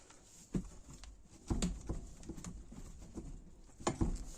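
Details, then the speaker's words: Daewoo Sens/Lanos rattling at the rear over bumps, car jacked and wheel levered with a pry bar: dull irregular thuds with serious play felt only in the left rear shock absorber; worn shock, replaced. "когда колесо идёт на отбой берёте пробуете здесь здесь идёт такой огромный бой прям уже скажем так люфт серьёзный именно отдаёт только в этот амортизатор"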